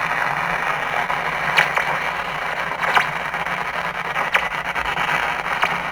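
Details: 1947 TempleTone tube radio on power-up after a tube check, rectifier tube tested good: loud hiss and crackle with a wavering squeal over the station and sharp pops about every second; noisy reception, cause unknown.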